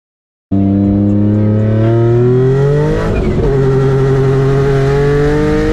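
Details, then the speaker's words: Nissan 350Z with a Comp turbo: engine revs up and settles with a strong exhaust note and no turbo whistle or spool; the turbo has failed and is not spinning. "all right guys so this is what the car sounds like with a balloon turbo this is going to be a car going over two carabins"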